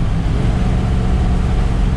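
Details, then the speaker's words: RV after a new fuel pump fixed a no-power problem and a new exhaust, cruising at 50 mph on Route 66. Deep, throaty exhaust drone steady under light load, no misses or knocks; smooth, all problems fixed. "i think with uh all my problems and everything i've got it all fixed this thing just did idle it is so smooth and everything i'm really happy with it"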